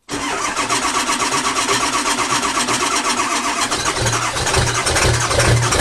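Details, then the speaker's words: 2002 Ford F-350 7.3 Powerstroke diesel, about 297,500 miles, before oil pan, seals and coil-spring axle swap: quick crank, catches at once into a steady, even diesel clatter at idle, no misfire; runs well. "and don't get me wrong this truck runs awesome just I want to take care of any leaks in the future that may be happening"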